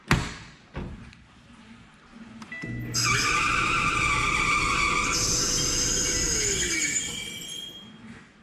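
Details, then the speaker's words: Maytag Bravos high-capacity electric dryer: loud, steady high-pitched squeal rises over the motor hum as the drum spins up, from a worn, stiff idler pulley. "so basically what's wrong with this one is there's a long a loud squeaking sound whenever you do run it"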